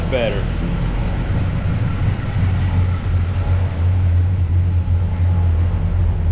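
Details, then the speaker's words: V8 truck idling after a broken header tube was repaired with gasketless ball-and-socket header joints and crimped lock nuts; deep, steady rumble with no ticking or puffing, exhaust leak fixed, a panel rattling and a little smoke. "I got a panel rattling back here all right I think I got my exhaust leak just figured out for now it should last me a little while yep no more leakies for now"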